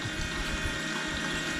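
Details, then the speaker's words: Turbocharged COPO Camaro electric coolant pump after an air pocket burped out: steady, even whir with smooth water flow returning, no gurgling or surging; pump now circulating normally. "what i was struggling with and it seems to be good now is i had an air pocket and i could hear it right here and i don't hear it now so that's awesome"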